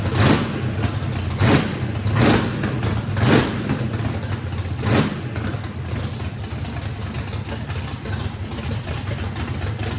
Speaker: all right guys fire in the hole fire in the hole sounds good uh this motor i think has the overlap and the the the valve lobe separation on it makes that thing uh had to put a lot of throttle in it